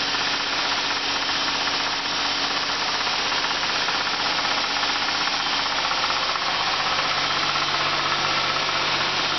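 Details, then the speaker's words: 1984 Oldsmobile Cutlass Ciera convertible needing an engine rebuild, with burned crankshaft and rod bearings. Warm idle, alternator belt just tightened: a dull, uneven rod knock under harsh hissy engine noise, worse once warm. Power steering smooth. "right there is what you do not want to hear from your car. Power steering works smoothly. Everything seems to work smoothly, just except for that really sad rod knock in the engine."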